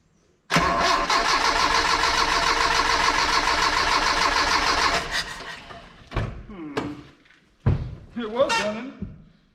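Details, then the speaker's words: Dodge D50 with G63B engine and Weber-type carb, restart after timing adjustment, choke open, fuel pressure unknown: starter cranks slowly and unevenly about five seconds, never catches; old jump box suspected failing, battery charge unknown. "was well that's unfortunate once my jump box not working uh hmm any juice on just the battery this jump box is old"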